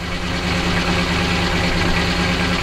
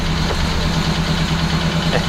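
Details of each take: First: Detroit Diesel 12V92 in an ex-ARFF fire truck, warming up, heard from the back: deep, even rumble with a fast steady beat and no stray knocks at its normal idle speed; normal idle. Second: Detroit Diesel 12V92 fire truck, just cold-started after a week unused, idling just over 100 rpm: even low loping beat with a faint light tap, a tappiness it usually has at startup.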